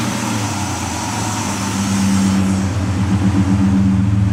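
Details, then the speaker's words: 2004 Ford Escape XLT 3.0L idling in park after a remanufactured MAF, a refitted Bosch O2 sensor and a battery disconnect: an uneven, wavering hum, checking whether the ticking remains; rough idle, cause unclear. "Let you hear the ticking if it's still doing it."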